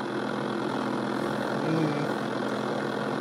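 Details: Bush retro DAB radio on power-up: steady low hum under constant hiss, unchanged over time; DAB display not coming on; possibly dead filter capacitors, not confirmed.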